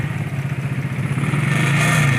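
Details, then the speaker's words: Ural motorcycle (cold-natured engine) feared about to blow apart: quick light tinny rattle about a dozen times a second over a lumpy boxer idle, traced to a loose gas cap; tightening it cured it. "Sound like a heat shield rattle. Yeah. Here. Gas cap. Okay. Try that. That's better. Gas cap."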